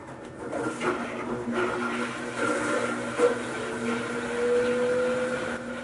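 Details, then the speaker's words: General Electric washing machine that would not start, after replacing the motor, test on spin cycle: steady motor hum rising slightly as the drum spins up, no knocks or scraping. "Set the timer on the spin cycle and turn it on to see if the washer works."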